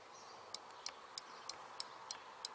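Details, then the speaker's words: BMW R1200 GS front brake lever micro-switch (fault: no servo brakes, rear brake light stays on), switch refitted and lever adjusted. Seven crisp, sharp clicks, roughly three per second: switch actuating when the brake is pulled. "and then you can hear it click. This is the phenomenon you get if the brake is pushed"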